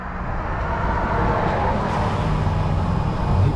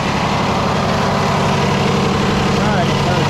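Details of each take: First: Freightliner heavy-duty truck, broken down in turn lane: long uneven cranking with pedal held to floor that never catches into a steady run; fuel starved with air still in the lines. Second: Freightliner truck with Cummins diesel, broke down with a no-start, held at raised idle to purge air after priming the fuel system: loud, even rumble with no misses or stumbles; normal diesel idle.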